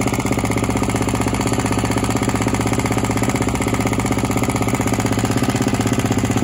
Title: G450X noisy while cold